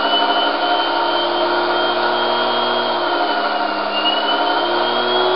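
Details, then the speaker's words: Series-wound brushed DC motor on Kelly KDZ48400 controller, revved with throttle: loud steady high whine dipping and climbing as throttle eases and reopens, smooth even running; normal. "Open the throttle up again. Give it a bit of a rev."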